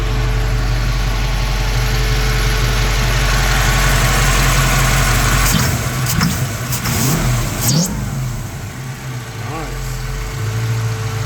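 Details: 1965 Mustang V8 among its first runs on a new Holley Sniper EFI and HyperSpark ignition, heard at the tailpipe: deep, steady burble, then a few clean blips rising and falling smoothly; healthy running.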